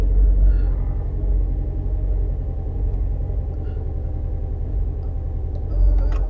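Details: 2011 Mini Countryman after replacing both cam timing sensors (P0343/P0368), cleaning sooted plugs 1 and 4 and clearing codes: deep idle with uneven, stumbling beat; misfire persists, live data flags cylinder 2, plug suspected, not confirmed.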